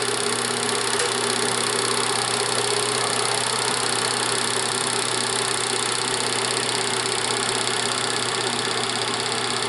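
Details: Bell & Howell Autoload 8mm film projector set to Super 8 at normal speed, lamp on: steady, even mechanical whir with fine fast chatter, no rattles or catches; running normally.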